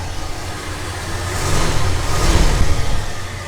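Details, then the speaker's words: Cold start of Oldsmobile Delta 88 V8 (1967 or 1975 model, same engine design, different displacements), cold light on: deep rumble catches, swells and settles evenly with no knocks or misses; wonderfully smooth, healthy idle. "this is basically the same v8 engine design just different displacements and they are both wonderfully smooth motors"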